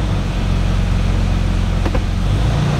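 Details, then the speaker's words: 2006 Toyota 4Runner with check engine light and transmission codes, not fully warmed: steady low idle with one soft click as it drops almost immediately into drive, no lag or harsh thump; prompt engagement. "I went immediately into drive almost immediately into the"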